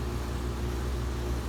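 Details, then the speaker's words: ICP Comfortmaker gas furnace system on a no-cooling call, after variable-speed indoor blower motor replacement; recorded standing right next to the unit, hot air coming out: low, even hum, steady drone, no knocks or rattles, running quietly, normal. "okay she's running fairly quiet as you can hear we have hot air coming out of it"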